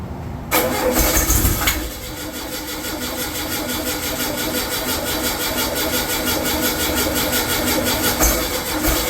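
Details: Freshly rebuilt VW air-cooled 40HP engine on first start attempt: steady, even churning about three beats a second that never catches; cranks but won't start, fuel pump found bad and not sucking fuel.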